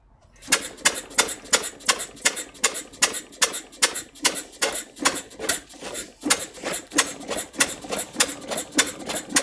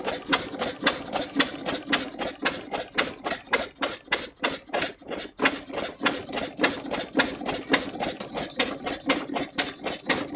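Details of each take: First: Jumbo-scale Westbury Wyvern open-crank stationary engine, probably built around 1985, first start on choke: sharp single firing beats about two and a half per second, slow and slightly lumpy; owner suspects it is over-choked, running rich. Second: Large-scale Edgar T. Westbury Wyvern open-crank stationary model engine, probably built around 1985, started using the choke: sharp, even ticking exhaust about two beats per second with a crisp rattle on top; running smoothly.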